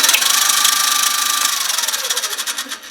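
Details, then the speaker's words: Small metal mini lathe, always noisy and recently worse: harsh high whirring roar with fluttering beat that drops in pitch on coast-down; toothed drive belt has shredded most teeth because it was too tight. "But just recently it's got worse, and taking a look down here is literally the belt has now shredded most of the teeth."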